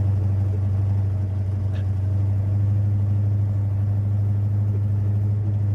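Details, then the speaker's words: Mustang V8 project car with new mufflers and custom flow tubes and tailpipes, heard from the rear: deep, loud, steady rumble at a 900 rpm idle, even lope, no exhaust leaks; slight ticking is from inside the chambered muffler. "Wow, I like it. That's a 900 RPM idle right there. Sounds pretty good."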